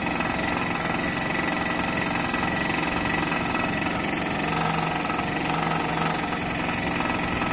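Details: Toyota 2AZ-FE engine at idle: a dull, loosely regular tapping of about three to four per second over the engine. Engine knock, source unconfirmed.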